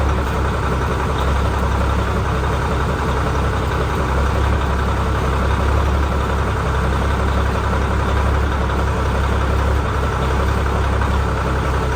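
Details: Ford L9000 heavy diesel truck after post-show repairs, new filters, new battery cables and new gear-reduction starter, two of four batteries low: deep, steady clatter at an even idle, no stumbles or knocks; idling normally, no leaks.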